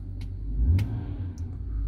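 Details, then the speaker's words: 2006 BMW 325xi E90 N52 after misfire repair (transmission, engine computer and crankshaft sensor previously replaced), idle checked with live data on scan tool: low, even idle rumble, no stumbles, a few faint clicks; starts smooth, normal idle. "right now the car starts very smooth but I just want to show you the code that you need to know"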